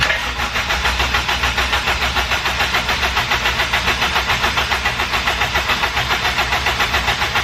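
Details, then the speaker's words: Supercharged Honda K20A Civic Si build, first crank with injectors unplugged to circulate oil and supercharger fluid, fuel pressure about 45: steady fast even cranking, about three and a half turns per second, no firing, as intended. "So the injectors are unplugged, so it's going to crank over, so don't panic if it doesn't start."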